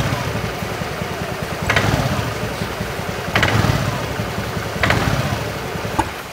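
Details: Honda Beat FI eSP scooter idling: loose clattering "kletek-klotok" CVT rattle, not very severe, swelling on each light throttle blip at low rpm; worn CVT sliders knocking in the roller housing.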